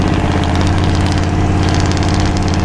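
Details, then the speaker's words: 1997 Ford F250, abandoned then revived for a road trip: steady, even low rumble sitting higher than a normal idle; something is commanding the idle air control open, and a faulty throttle position sensor is suspected, to be tested first. "Something's commanding our IA to be open as well. I think we start with the TPS, but there might be related issues hopefully."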